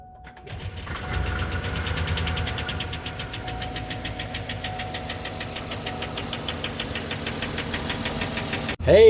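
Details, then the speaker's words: Chevy Suburban work truck that was run low on oil, at idle: fast, regular ticking knock riding over a steady idle; low-oil engine knock, internal cause not confirmed. "so this is the last work truck and it got ran low on oil a little bit and we want to see if you can guess what the problem is you're going to hear it in a minute"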